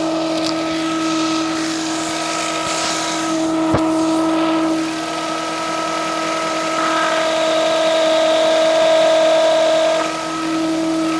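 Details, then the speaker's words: Nissan X-Trail engine running, microphone placed on the alternator: a slightly whiny steady whine with a rough, gritty edge from a worn alternator bearing; the car also has a battery-not-charging fault. "Pretty noisy, huh? So, yeah, it's definitely the alternator. It's definitely like an alternator bearing."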